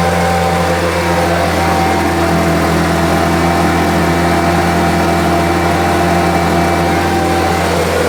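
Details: Homelite UT08572 string trimmer, small two-stroke, tested outside after repairs: steady, even drone at clean constant pitch with no hunting or misfire, running firmly. Owner will check whether an earlier "tink" noise is gone. Normal running.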